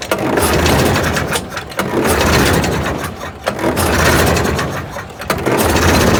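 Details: Homemade kit mini Jenny JN4 WW1 replica aircraft engine, unstarted for 13 years, mixture full rich, fuel dripping: slow swooshing pulses about every 1.5 s as the prop is pulled through, no firing; cranks but won't start, owner suspects too much fuel.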